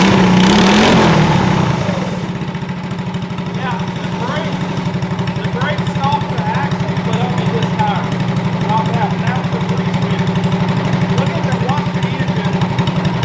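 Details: Shriners 1932 Ford Coupe replica go-kart with swapped-in 212cc Tillotson electric-start single, pinched throttle cable freed so it idles down: after a brief rev it settles to an even, steady idle about four beats a second, running clean.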